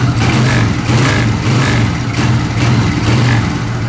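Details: Suzuki Shogun SP 125 FD after replacing a holed intake part that hissed: repeated throttle blips rise and fall cleanly with no hiss on top; intake sealed, engine runs normally.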